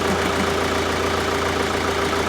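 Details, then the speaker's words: Mark V VW Golf GT TDI diesel idling just after turbo work, engine light showing "defective": steady idle with a constant hissy blow, like an exhaust leak near the turbo at the back; owner suspects a missing bolt, unconfirmed. "It's blowing, isn't it? It turns on. That's a good thing. I'm going to let it sit and it's blowing from somewhere."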